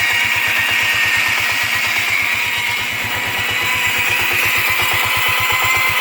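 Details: Yamaha Riva 125 XC scooter: fast regular low thumping, about four per second, with a hissy high-pitched rush over it; unidentified mechanical noise, source unclear.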